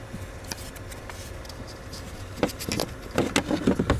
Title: 2012 Jeep Wrangler recirculation door actuator clicking noise